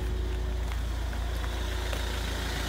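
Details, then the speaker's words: Ford Mondeo Mk4 2.0 TDCi idling at home after a 30-mile drive during active DPF regeneration: deep diesel idle raised to about 900–1000 rpm, soft uneven exhaust burble, radiator fan roaring at full speed; normal regen. "for those of you that don't know what it sounds like here you go they exhaust something for the normal economy's burbling noise"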